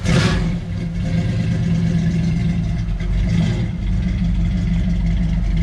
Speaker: now we got this truck the timing was horrifically off it was i don't know 15 or 20 degrees and it started hard and ran poorly and overheated but that's all been resolved now that we've actually set the timing to what it's supposed to be it still sounds obnoxiously loud like a hot rod